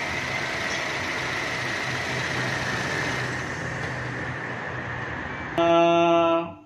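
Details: 2016 Chevrolet Cruze at idle: steady hiss with no obvious whistle, ending in a brief horn-like tone; normal idle in the context of fixing a whistling noise.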